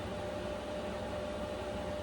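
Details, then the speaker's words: Vevor Chinese diesel heater in an uninsulated small camper in sub-zero cold, turned up: steady even air rush with faint constant hum, fuel-pump ticking inaudible; fan slightly noisier but running normally. "Okay, so the fan is definitely a little bit noisier. Not bad though."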